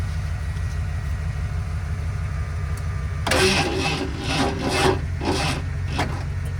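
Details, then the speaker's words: 1978 Ford F-150 plow truck cranking slowly and labored without starting; owner thinks the battery is shot and suspects a slightly sticking solenoid restricting cranking. "again I can hear it bogging down my truck I think it the battery itself is pretty much shot and my truck's doing most of the work"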